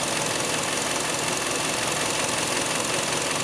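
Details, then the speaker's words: 2006 Hyundai Sonata 2.4L with P2187 system-lean-at-idle code: spraying carb cleaner at the intake manifold gasket where it meets the head makes the idle stumble and misfire with an uneven, lopsided beat; vacuum leak at intake manifold gasket. "The intake gasket at the head, and that's where I'm spraying. Car even starts misfiring whenever I hit that. So you can hear the car responding to that."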